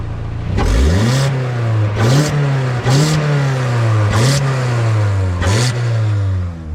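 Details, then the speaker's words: 2012 Hyundai Elantra on ramps, a few days after new flex pipe with O2 sensor bung installed: throttle blips with loud, raspy, blatty exhaust note; louder under load in higher gears; exhaust leak underneath front, manifold gasket or crack feared. "So guys, it's a bit loud, and when you're driving it guys and strain comes on it, when you're getting up to like second, third, fourth, fifth gear, it's even louder."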